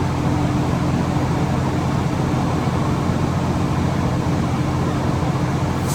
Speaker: right that area just made a noise that's it yeah okay that's Governor cut off